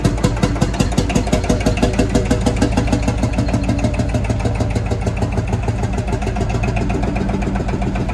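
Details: Field Marshall Series 3A single-cylinder diesel on its first start after a rebore and oversize piston, fitted after a piston ring snapped, most likely from pitting at the bottom of the bore. Even, steady low thump at about three beats a second with no knocks; normal running, better than before.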